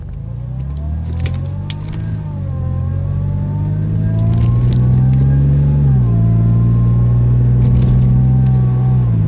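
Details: 2004 Mazda 6, automatic 5-speed, ~120k miles: a whirring whine rises and falls exactly with engine rpm. It persists with all belts removed, so it is not belts or bearings; owner suspects the transmission fluid pump.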